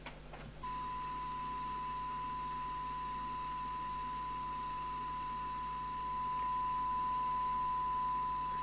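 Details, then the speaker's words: Fidelity CB1000FM CB27/81 UK FM CB radio, after repair of a shorted 8V-line zener: on the test set at 0.3 microvolts it reproduces a clean, steady 1 kHz tone with no warble, showing the synthesizer is running. "we can hear that at 0.3 the micro volts so we know the synthesizer is running we know it's generating frequencies"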